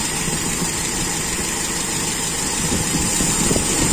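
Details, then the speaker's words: Toyota Kijang with Aisan carburetor, first run after teardown and adjustment, accelerator pump not installed: runs smoothly and evenly from low to high revs with no popping, coughing or stumbling; normal running. "bagaimanapun original itu beda rasanya berisik gitu loh tidak ada grenjel-grenjel mulai dari bawah sampai atas menurut saya halus"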